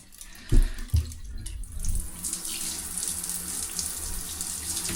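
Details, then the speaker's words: Shower after repair, water back on and local isolation valves reopened: a couple of opening knocks, then a steady even rush of running water with no odd sounds and no leaks underneath; normal shower flow. "So, obviously we got the water back on. So, we'll just turn our localized valves on that one and on that one. Oh, sounds like he's running."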